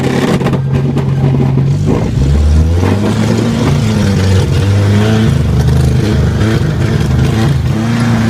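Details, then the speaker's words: 1980 Chevy LUV truck, long unused, running a replacement carburetor; runs fine until throttle pulled, then revs stumble and cut out at high rpm; owner suspects jets too lean, possibly timing, plans to clean and refit original carburetor; engine cutting out at high rpm. "it's cutting out and high rpm I think I need to clean up the original carburetor and put it back on there"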